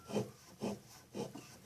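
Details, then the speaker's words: Electrolux washing machine motor that won't spin, turned slowly by hand, gives a rough rasping grind from bearings damaged by leaking water; motor not burnt. "e quer explicar a vocês que aparentemente tenta destruir não esse motor não está destruído se o motor não está queimado o problema desse motor aqui pessoal os rolamentos certo"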